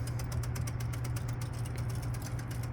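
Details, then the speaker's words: 1953 relay-based computerized tic-tac-toe machine after pressing the computer-move button: fast even train of crisp clicks, about ten a second, over a low hum; stepper searching normally. "we hit that button and we hear it clicking and this is what it's doing"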